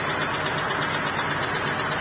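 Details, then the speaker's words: GAZelle 2775 engine running after broken auxiliary-shaft bolts were found and the timing chain, water pump, pulley, crank seal and gaskets were replaced. The timing side is fine and compression is 8–10 atm, but a hard metallic clatter remains; the engine needs serious further repair and the cause is not pinned down. "Я думаю, вы слышите, наверное, слышите, не знаю, как на камеру, посторонний звук от двигателя. То есть запустили мотор."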